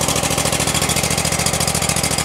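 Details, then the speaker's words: About 2016 Exmark Lazer E-series 60-inch mower, 27 hp Kohler, about 3,800 hours, carburetor flooding problem: started on choke at half throttle, it settles into a steady, even idle with some smoke clearing. A knock is noticed afterward under throttle. "ah it's running half throttle i see some smoke coming out that's not normal it's idling it's actually idling you guys"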